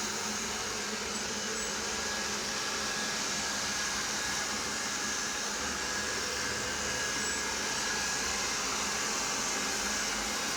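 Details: Roborock robot vacuum, second day of use: a steady whir with a thin, high beeping/squeal that persists with the main and side brushes removed. The cause appears to be a dirty front caster wheel; cleaning it and blowing air around it stopped the noise.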